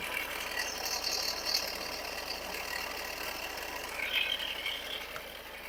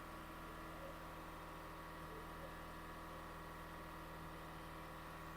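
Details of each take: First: 2017 Ford Edge diesel, customer reports sudden chain-like noise: steady rough crackling grind over the running engine, loudest at the alternator side; metal pieces found, failing alternator bearing, alternator replaced. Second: 2017 Ford Edge diesel after alternator replacement and fuel system priming, pedal slowly released; steady, even hum just above idle, no grinding, whining, ticks or belt squeal as before; normal running at raised idle.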